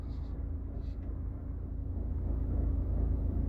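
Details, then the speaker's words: Citroën Picasso engine juddering: deep rumble with a repeated low thump, about three a second ("tung, tung, tung"). "T'entends comment ça broute? Tung, tung, tung,"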